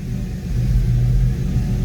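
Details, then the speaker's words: Foxbody Mustang with the stock upper/lower intake just replaced by a GT40 tubular intake: choppy, lumpy V8 idle that surges and sags, then stalls once the gas pedal is released. Fuel pressure is good at about 43–44. Ran perfectly before the install. "I got a choppy Idol on this car surging I guess is what it is that it stalls"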